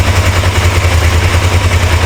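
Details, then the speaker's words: Suzuki GS450 GA automatic motorcycle (the '82 bought with a bad transmission), first start after carburetor cleaning: heavy pulsing drone with rough chattering grind from the gearbox, like it keeps trying to jump into gear by itself. Owner suspects something bad inside the transmission, cause unknown without teardown. "like it wants to Jumping gear automatically something inside of there bad I don't know what it is"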